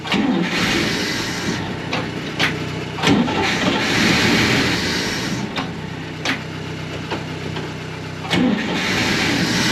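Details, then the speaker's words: 1965 Clark Cortez motorhome Dodge V8, first start since valve stem seal replacement, carburettor just cleaned: catches and runs with a steady low rumble, some clicks and bumps but no rattle or clanking, then stalls shortly after. "हे भगवान, यह बहुत अच्छा लग रहा है!... मुझे इसके बारे में पता नहीं है? मुझे लगता है कि यह करता है! कोई खड़खड़ाहट जैसी नहीं है, कोई क्लंकिंग जैसी नहीं है"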